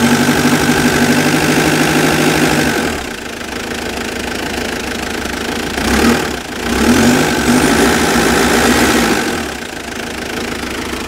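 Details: Mitsubishi Pajero idling rough with an uneven, lumpy beat that smooths out with a bit of rpm, only an occasional hiccup; cause unknown.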